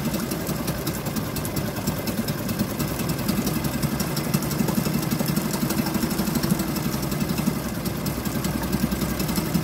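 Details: Suzuki DF2.5 2.5 HP outboard, long stored and previously not starting, running after fixing with the fuel valve and tank vent opened: steady even putter with no misses or knocking; normal running.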